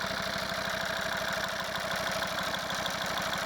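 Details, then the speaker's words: Volvo V50 D5 diesel with 142,000 miles, warm idle after a test drive following EGR valve and pipework cleaning: a rhythmic chuffing "tugboat" thump with light ticking over the clatter. Owner says the lifters are rattly and need doing eventually. "We'll get a bit of this tugboat sound, but yeah, the lifters are rattly."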